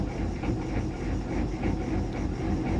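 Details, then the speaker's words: Chevy G20 diesel van, cold and idling with no throttle after glow plugs drained batteries: beat rises and falls about every third of a second; the lope stops with a little throttle or once warmed, cause unknown. "it definitely goes away once the engine is warmed up because if i give it a little bit of diesel the loping stops"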